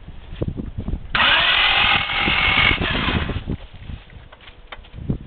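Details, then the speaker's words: Honda car: starter turns the engine over at an uneven beat for a couple of seconds but it never fires; a clutch pop-start also failed; crank, no start. "okay it's moving it's cranking I tried to pop the but didn't work"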